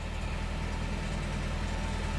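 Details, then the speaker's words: Porsche revived after decades, rebuilt Bosch fuel distributor, new plugs, wires, coil, fuel filters, pump and cleaned tank; genuine cold start, first run under own power, deep idle running a little rough with lumpy uneven pulse; still needs work. "it's it still needs some work here we go it is running a little rough but hey it's idling"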